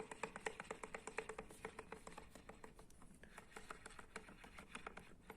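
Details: 2011 KIA Ceed electric power steering with the column removed and the shaft turned by hand: sharp uneven knocks and a light rattle once the plate is lifted and the shaft spins freely.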